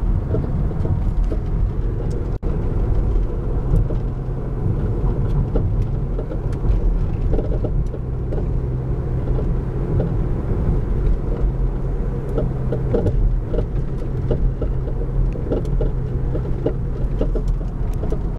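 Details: Volvo S60 driving: scattered irregular intermittent knocks over steady low road rumble.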